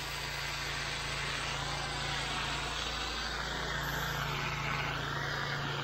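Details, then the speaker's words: Honda IGX800 pressure-washer engine after replacing failing ignition coils with resistor-modified coils to cure bogging under load: constant hum at steady speed under load, no bogging or sagging; ran 30-40 minutes without problem, fixed. "we went ahead and finished the whole driveway takes 15 20 minutes but uh I let it I go slow I did a couple extra ran a machine about 30 40 minutes no problem fixed"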